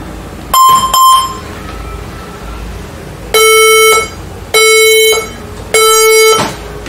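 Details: HP ProBook 440 G7 laptop at power-on: two short high beeps then three longer lower beeps about a second apart, a startup beep error code.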